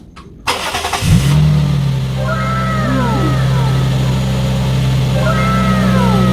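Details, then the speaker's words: Vehicle with a no-crank, no-start, no-click problem; after replacing the negative battery ground connector with an anti-theft battery disconnect switch, a short crank catches at once and settles to a steady, even idle; fixed. "It's working. So we just replace it and upgraded to a better one."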